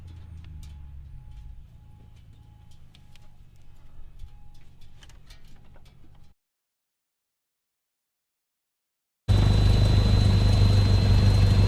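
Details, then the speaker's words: Cessna 172 engine after a carburettor install, idle raised and mixture being adjusted: low, steady, even idle pulse with no stumbles, then a louder stretch running just as smoothly; super smooth. "got the idol where we want it now he's messing with the mixture a little bit to make sure it's exactly where you want it to be it's going good super smooth"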